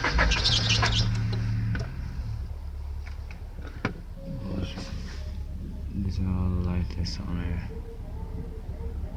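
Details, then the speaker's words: 1999 Honda Accord 4-cylinder cranks steadily but won't start after new distributor, rotor, plugs and wires; it started once, then no-start after shutoff; fuel pump heard priming, fuel in line, no check engine light. "Like it won't stop, but it's not starting."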